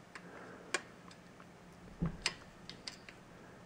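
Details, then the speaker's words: 1967 Williams Magic City electromechanical pinball, stored in a house 20+ years: score reel advances very slowly, faint widely spaced uneven ticks; owner unsure whether springs are weak or the mechanism needs opening and cleaning. "you can see this thing is really slow so I don't know if I've got weak Springs or if I need to open that mechanism up and clean it up but it goes very slowly"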